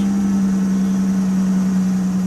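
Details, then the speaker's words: 2007 car with a big six-cylinder engine, just started at idle with a maintenance-required warning showing: a loud, steady low drone with a raspy edge from an exhaust leak, which the owner blames on mostly short trips. "you can [Music] hear that don't sound right that's right there is an exhaust leak"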